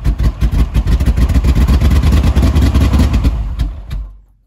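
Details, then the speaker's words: Vehicle needing the gas pedal held to the floor to start: lumpy, uneven running with irregular pops, backfiring and stumbles, losing power, then dies; owner suspects the timing has slipped a tooth or two. "loss of power backfiring popping things like that and that's what it's doing um running like poop"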